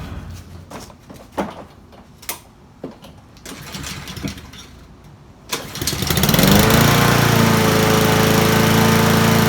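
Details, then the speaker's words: Troy-Bilt mower with Honda GCV-series engine that had spark and fuel but wouldn't start: a valve stuck open from a smashed valve cover. After the fix, it catches after a few soft pulls and settles into an even, steady, healthy run. "well I guess that was the problem valve stuck open because of a smashed valve cover"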